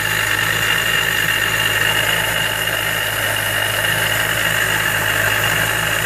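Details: Miata with Jackson Racing M45 supercharger at idle: steady high thin whine of unchanging pitch over even idle; owner suspects bad supercharger bearings.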